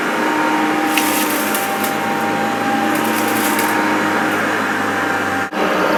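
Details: Maytag U5131 upright vacuum picking up debris on carpet: even motor whine, faint steady squeal and crackling pickup; owner thinks the belt needs replacing and is causing the squeak.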